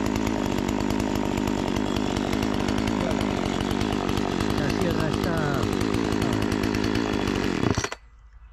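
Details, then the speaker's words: Partner 405 two-stroke chainsaw after a simple repair (it used to stall when given throttle; owner suspected fuel starvation), cover refitted, cutting very hard almond wood. Steady high howl holds evenly, then cuts off. Engine runs healthy, but the chain is very slack. "cuanto a motor va bien en cuanto a cadena está super destensada ahora"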